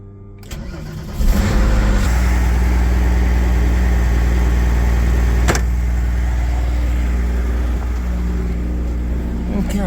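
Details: Porsche 993 after oil change with 8 litres of oil, immobilizer off: quick crank, engine fires at once and holds a smooth even idle, no knocks or misses, oil pressure good; normal start and idle.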